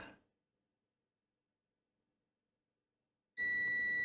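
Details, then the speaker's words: Seagate SSHD hybrid drive repair, continuity check on the controller board: silence, then a clean steady high-pitched beep of about a second confirming good contact. "If we really have contact. We have contact from this side."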